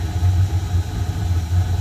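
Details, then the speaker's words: Home furnace just after maintenance with new filter, cleaned inside and out, running for winter: loud, even low drone with steady pulse, no knocks or squeals; normal running before blower starts. "That means furnace running. New filter. Clean inside, outside. The fan running soon."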